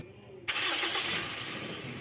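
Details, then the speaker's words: Toyota Corolla Altis with slight misfire and hard starting; engine catches then sags and dies within two seconds, likely flooded with unburned fuel; mechanic blames only the old spark plugs. "Napansin niyo pag-start ng makina namatay agad dahil nga po sa palyado ito bago ko ginawa pangalawa luma na yung spar plug"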